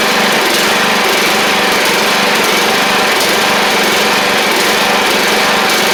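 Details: Troy-Bilt Pony 42X Powermore single-cylinder engine after refitting the original carb with WD-40 and carb spray: a busy buzz with brief stumbles about every second. It runs rough.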